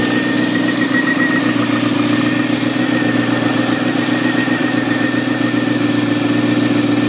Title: Zx6r weird noise